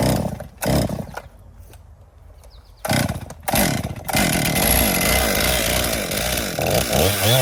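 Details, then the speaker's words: 2018 Stihl MS261 M-Tronic used for construction, hard to start and boggy when hot: hot-start attempts with throttle held open, then a wavering, bogging run. Fuel starvation is suspected; spark was verified good. "I think it's starving for fuel. That's full choke start position. will not start."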